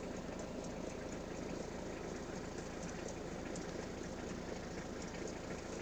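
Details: Peugeot 306 under diagnosis: the engine idles steadily with a faint, uneven ticking on top at about three per second; abnormal engine noise, cause not yet clear.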